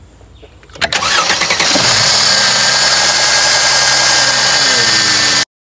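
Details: Mercedes-Benz with M276 engine and faulty intake camshaft adjuster (bank 2, codes P034600, P002177), cold start the next morning, checking whether the adjuster rattle returns; starter turns under a second, engine catches fast and settles to a steady, even idle without rattle.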